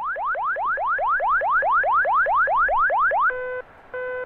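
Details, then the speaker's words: Beechcraft Premier 1 jet on the ground during preflight system tests: overspeed warning horn, fast rising electronic whoops about four a second. "okay that's an over speed warning"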